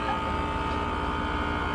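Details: HVAC condensing unit during a pump-down: steady low hum with a constant mid tone, even and unchanging; compressor running normally.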